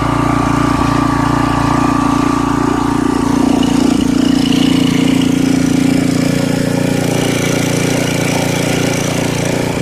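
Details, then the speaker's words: 1989 Briggs & Stratton 5hp 13 cubic inch single-cylinder, 6:1 gear reduction, sat about three years, revived without carb cleaning, no air filter fitted; steady even low chug but running slower than it should, rpm needs raising. "it sounds like it's a little bit it's running a little bit slower than uh it should be so i'm gonna have to speed up the rpm just a bit"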